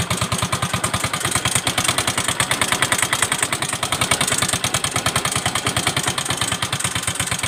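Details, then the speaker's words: Yamaha Mio M3 125 scooter at idle, hard to start, oil change overdue: loud, rapid, harsh and uneven metallic tek-tek hammering. "Nah, jadi itu bunyi mesinnya itu kasar sekali ya. Bunyi mesinnya tuh kasar. Tek tek tek tek tek tek. Enggak karuan ya, Guys, ya."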